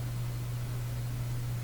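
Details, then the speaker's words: Canadian General Electric Model A55Z radio, powered up with antenna ground not connected: only a steady low thundering hum under faint hiss, no stations or audio; radio not working. "I don't hear any radio activity yet I I don't have the antenna ground connected that should put a stronger signal onto the antenna"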